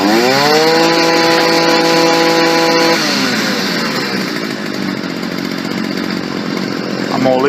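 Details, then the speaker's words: Stihl FS 55 R trimmer after a carburetor install, after richening the low-speed jet slightly: holds a steady high buzz, then drops back cleanly to a smooth, even idle with no stumbling. Now running as it should. "I'm going to richen the low speed jet just a little. Sounds good right there."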